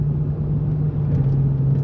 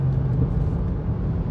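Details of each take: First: Rebuilt Chrysler 300C on a test drive after the original wheel hub was reinstalled: low, even road rumble with no growl, whir or rhythmic hum rising with speed, much quieter, slight tire noise from cupping; normal hub. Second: Rebuilt Chrysler 300C cruising on smooth road, air conditioning off: low steady rumbling growl like a mud tire hum, plus sway bar link rattle and ABS/ESP light on; wheel bearing growl.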